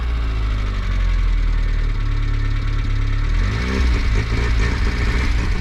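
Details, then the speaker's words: Peugeot 205 GL carbureted petrol, half-warm start, choke just pushed back off: deep, steady idle with even low rumble, no knocks or rattles; running healthy. "Ah le bruit il est cool quand même hein."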